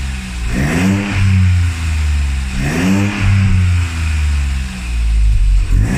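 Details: Classic Mini with a swapped modern boosted 3-cylinder engine, after adding an emulator that feeds the ECU the RCM no-crash signal: three clean rev blips climb and fall smoothly back to a steady idle, no stumbles or misses; it now runs normally.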